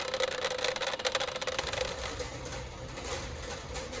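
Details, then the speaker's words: Tesla Model Y 19-inch Gemini wheels with aero covers, also audible when driving at slow speeds. Pressing the cover gives a rapid run of light plastic clicks; the loose aero cover is clicking. "so this is the 19-inch gemini wheel set on the tesla model y and you can kind of hear that noise that it makes when i press on this"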